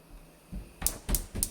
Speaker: You hear the clicking? That means it's working.